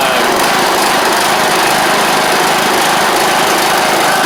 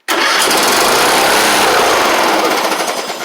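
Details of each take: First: John Deere LA100 riding mower (5-speed transaxle), sat a long time with water in the tank and hard starting blamed on valves, now running off choke: steady, even single-cylinder buzz, no knocks or misses; runs normally, though the spark plug is suspected to have failed. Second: John Deere LA100 riding mower, long-sat, first start after valve adjustment and battery: it fires and instantly flares to a loud, high, steady rev that never settles back to idle. The throttle is sticking open; lubricant is applied.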